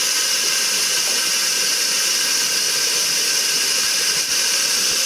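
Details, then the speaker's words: TVR 3000M with Ford Essex V6, new water pump, radiator, swirl pot and hoses, during a vacuum coolant fill with the engine off: a steady high hiss as air bubbles are drawn out of the block and cooling system, with some vapor. "but you can hear the air bubbles in the engine now being sucked out i don't know if you can hear the air bubbles there's plenty of air bubbles inside the engine block and in the cooling system that is now being sucked out"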